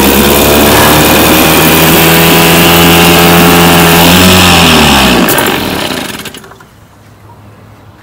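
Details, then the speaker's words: 1967 Evinrude 3 hp outboard, model 3706C, after a carburetor cleaning fixed the dirty jets that forced it to run on choke. It holds a steady, even two-stroke buzz unchoked at constant throttle, then shuts off cleanly with no misfire: normal running. "what it's supposed to do. It's supposed to be able to run unchoked."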